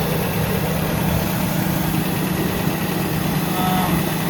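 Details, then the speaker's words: 1986 Toyota pickup with a Weber carburetor, after a ruptured fuel hose was replaced and the tank refilled: a steady even low idle with no misses, surging or ticking. It runs normally after the no-start. "All right, guys, you can probably hear the truck's running. So that's all we had to do was get some gas in the tank there after we fixed that one line."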